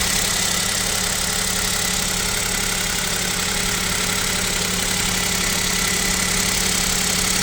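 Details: Kia Picanto 2 1.0 G3LA, cold idle at about -7 °C: busy, rattly idle with faint steady tapping under hissy top end; owner suspects piston knock and wonders about an overhaul.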